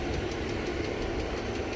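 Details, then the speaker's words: Sharp, light ticking five or six times a second over a steady idle on an older-looking engine with a replaced plastic intake; suspected lifter or rocker arm, though it sounds like an extremely loud injector; source unconfirmed. "the thing is that tick almost sounds like an extremely loud injector but who knows what it is"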